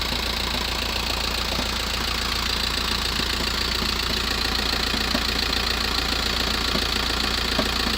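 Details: VW T5 1.9 diesel (102) van, cold start after 24+ hours unused, hard regular knock about 3.5 times a second over idle clatter; lasts about 7 minutes then goes away; rattle changes with clutch pressed or released; source unclear.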